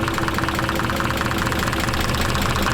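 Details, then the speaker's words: 1991 Nissan 300ZX twin turbo barn find, first run after sitting, some chatter at start, burning oil: rough uneven idle stumbling about twice a second; engine misfire at idle, doesn't sound terrible. "and it's clearly has a miss but honestly it really doesn't sound bad not terrible"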